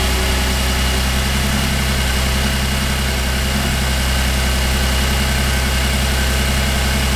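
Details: 2008 Cadillac CTS, GM 3.6L direct-injection V6, after timing chain replacement and reconnecting a loose vacuum line: even, steady idle with a smooth low hum and no popping or misses, a normal idle.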